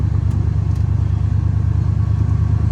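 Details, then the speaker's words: Salvage Ford, owner thinks a 5.0 V8, idling with AC compressor kicked on and cooling: even, low idle pulse holding steady with no ticks or knocks; engine sounds healthy. "And while we're here, we'll test the AC out. The compressor kicked on,"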